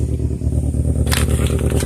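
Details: 2002 Toyota Corolla LE with a bad motor, 173,000 on the odometer, check engine light flashing: lumpy uneven idle with shaking clatter, suggesting misfire, unconfirmed; rough running engine.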